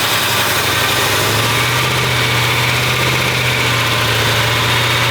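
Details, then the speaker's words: 383 V8 in a newly restored car, first start after block cracks were welded; loud, heavy, lazy idle with steady low lope and slightly uneven beat, sluggish; timing too retarded, so it is advanced and the idle speeds up. "I'm going to advance the timing a little bit more. I can tell the way it's running, it needs a little more timing."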